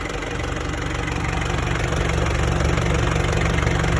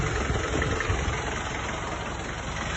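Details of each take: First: 1994 Isuzu Panther diesel never overhauled, thermostat refitted (previously missing), coolant 82 °C: even idle clatter with steady low rumble, no irregular knocks, no smoke; engine sounds healthy. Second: 1994 Isuzu Panther diesel, first owner, 350,000 km, never overhauled, before the overhaul: clattery idle with an uneven, limping beat and no steady rhythm, with only mild smoke; one cylinder misfiring.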